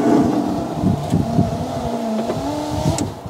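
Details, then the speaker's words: 2011 Fiat 500 Lounge power window after refitting loose channel screws: strained motor whine wavers and drags as glass travels up and down, clunk gone; guide possibly not seated in the channel, suspected, not confirmed. "let me just uh wind it up see it's going up it's struggling a bit and then when it comes down I still ain't a bit of a noise isn't it struggling"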